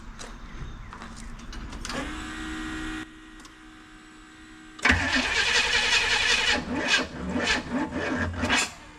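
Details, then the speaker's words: Squarebody dually after an HEI distributor rebuild (rotor had a hole in the middle). Cranks, catches and stumbles unevenly, never settling to idle. Owner suspects the spark plug wires are one position off in the firing order: misfire. "I think I'm off a little bit. I think there's some... Let me check the spark plug wire fire order real quick, and I'll be back to you in a second."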